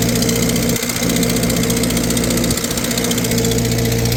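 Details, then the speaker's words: 1948 Farmall C tractor, former parade tractor, running on a dyno in gear to warm the oil: steady idle with occasional stumble and sharp puffing tick; owner suspects cracked exhaust manifold, white metal-filler residue around it from an earlier repair attempt. "I think it's got a cracked manifold. I see there's a bunch of white crap around it, like they tried to fix it with that metal replacer."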